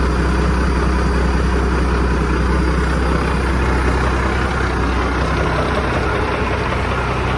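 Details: 1987 Ford LN9000 house-moving/wrecker truck, diesel, just revived after sitting in a field about 20 years: deep, steady idle with an even firing beat and no knocks or misses; running healthy.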